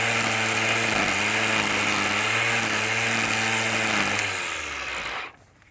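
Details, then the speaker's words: Black & Decker 20V cordless string trimmer after refitting the missing spool spring that let too much line release: steady high whir running smoothly, initial rattle only from trimming leftover excess line, then winds down. "the rattle at the very beginning there was was uh the extra line uh that was left over from before was was being trimmed but uh once that first bit was trimmed off the rest of it ran smoothly"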